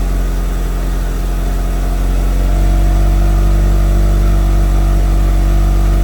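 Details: Mitsubishi Evo, first start after FP Red turbo install with MAP manifold and FP oil lines; built motor about 15,000 miles, 91,000-mile chassis: steady even low idle rumble, no knocks, misses or hunting, heat wrap smoking off.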